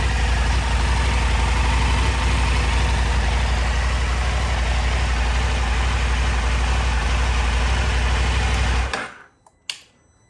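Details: KTM 890 Adventure R cold start after fitting Dirt Tricks timing chain tensioner and FuelX Lite fuel tuner; steady even low idle, no metallic rattle, then shut off; cam chain quiet, normal cold idle.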